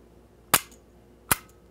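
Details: 1970s Kodak Instamatic point-and-shoot camera being checked before loading 35mm film: two crisp shutter snaps about three quarters of a second apart, nothing dragging or sticking; the shutter fires freely and is not rusted shut.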